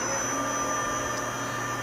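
A smooth, even hum with a steady high whine and no knocks or rattles: the milling spindle is running cleanly.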